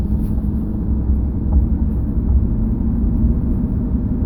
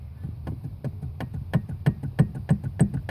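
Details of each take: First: 2005 Chevrolet Silverado 2500HD on a neighborhood drive after replacing the steering column bearing: steady low road rumble, no rattle over bumps where it used to rattle; column quiet and tight. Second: 2005 Chevy Silverado 2500HD steering column, intermediate shaft disconnected and rocked by hand: repeated dull clunks about three a second from worn steering column bearing play; rattle over bumps and low-speed turns for about 10 years, intermediate shaft replacement didn't fix it.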